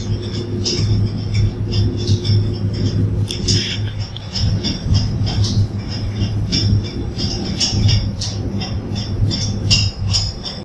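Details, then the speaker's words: Nebraska boiler during startup: a check valve's flat plate rattles and bangs, lifting off and falling back on its seat, over a steady plant hum because there is no steam flow. "you can hear a rattling or banging and that's the flat plate coming off the seat and falling back on the seat coming off the seat falling back on the seat because there is no steam flow"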